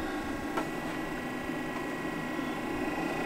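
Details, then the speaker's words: 5 kW Chinese diesel air parking heater, initial startup in a shed at about 25°F on a 12 V lead-acid battery: quiet steady fan whir, soft hum and clicks as the fuel pump self-primes; normal startup. "can hear that the diesel heaters on but that doesn't seem to be climate but here we go after it minute the diesel pump starting to self prime"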